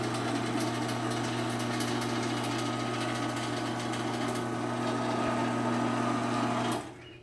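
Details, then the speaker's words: Sears garage door opener running normally after a new sprocket was installed: a steady motor hum and light, even chain rattle, then a clean stop; remaining noise comes from the trolley vibrating and the chain rubbing it at a damaged chain section. "So yeah, this thing sounds honestly much better."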